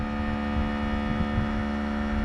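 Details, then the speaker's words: 2021 Ram 2500 with Air Lift 5000 series airbags and built-in compressor, wired to the passenger-side battery: steady even electric drone while airing the bags up from 17 psi toward a 50 setting; runs normally, a little noisy. "It'll be a little noisy, and you can do this from inside the truck or outside the truck."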